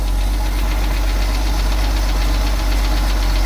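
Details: 1974 Ford 350 cold-started, being prepped for sale, engine full of old unchanged oil: heavy low idle with a loose, uneven knock about twice a second, bottom-end knock suspected, not confirmed.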